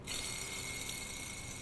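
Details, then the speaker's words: Car AC compressor magnetic clutch pulley: steady rough hissing whir with a thin high tone; worn pulley bearing. "Nah, bunyi kasar dulu itu misalkan seperti ini. Nah, kedengaran kan bunyinya?"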